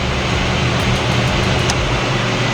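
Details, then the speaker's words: 1995 Mazda Miata with a flat battery: labored, dragging, uneven crank that never catches. Starter suspected bad after high amperage draw and a big spark seen off the starter; not confirmed. "hear how much amperage draw that starter's bad yeah"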